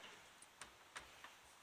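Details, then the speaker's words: 1998 Dodge Ram 1500 4x4, removed front right wheel hub turned slowly by hand: sharp, uneven ticks about two a second, like needle bearings falling out; the worn hub bearing is shot and being replaced. "and I don't know if you can hear that ticking but this one's pooched"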